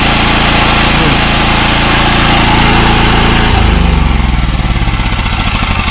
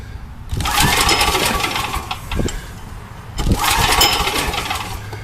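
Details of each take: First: Gasoline generator after PRI-G fuel treatment and refitting the half-fouled original spark plug: starts and settles into a steady even drone with no surging. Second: Old Coleman gas generator with a Vanguard engine running on old ethanol gas, with a gummed-up carburetor. Gas is leaking out at the bottom. Engine speed rises and falls in uneven waves every few seconds: surging from a flooding carburetor.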